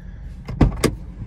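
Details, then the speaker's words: 2010 Honda CR-V with door locks that had been activating on their own: two quick clunks a quarter second apart as every lock pulls open together; all doors unlock normally. "yeah there you go everything unlocks let's go for a ride"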